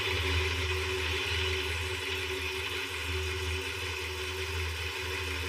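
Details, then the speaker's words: 1951 Nash Statesman flathead inline-six, revived after decades in a barn and fitted with a new radiator: quiet, even idle with a smooth low hum and no rattle or knock; engine sounds healthy. "I don't hear the death rattle yet."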